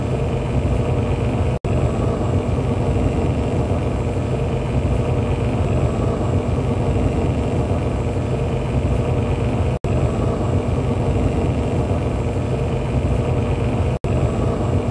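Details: Alseye water cooler fan recorded with a smartphone mic. A steady drone with a rough, fluttering low rumble under airflow hiss and a faint whine. The bearing seems stuck; replacement fans also made noise. Fan bearing noise suspected.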